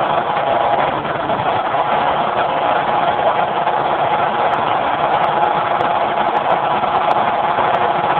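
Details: Generator converted to natural gas with solenoid safety shutoff valve, phone mic with poor audio: steady even drone, no surging or hunting; runs smooth, normal running.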